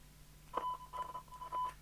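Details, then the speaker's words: Fidelity CB1000 UK CB27/81 mobile CB radio, scrap set, signal generator input; faint test tone breaking in and out over low hum and hiss; weak receive audio, owner suspects a duff squelch control or ropey socket. "we can hear it receiving i just pulled the signal up it's there we can't actually hear it is it possible we've got a dove squash control"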